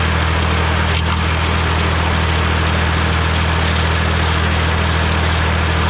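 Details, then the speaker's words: Morra F25-6 disc mower on a tractor, test run after repair (it had a pod bearing failure the year before and is down again). Deep, even drone at one steady speed with no knocks, scraping or metal contact; running smooth and healthy. "Well, I say that was a success. Didn't have no commotion, nothing hitting each other."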